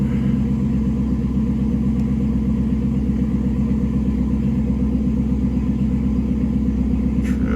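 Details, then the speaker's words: 2016 Chevrolet Caprice after reinstalling fuel rail and injectors (codes P0208, P0300, U0401, B1517; previously running very rough, StabiliTrak fault): smooth, even idle, no misses or ticks; faults cleared, check-engine light off. "Sounds smooth. It was running rough as heck when I shut it off."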